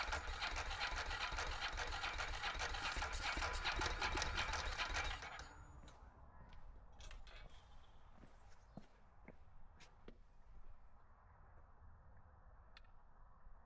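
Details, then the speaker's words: Ducati 916 Biposto, 13,800 km, laid up 15 years; another try on a recharged jump pack, fuel pump sounding primed, spark confirmed. About five seconds of fast, even starter churning, then quiet ticking, never catching: cranking, no start. "Uh not really what I anticipated or hope for, but can't say I didn't expect it a little bit to not quite work out or go to plan."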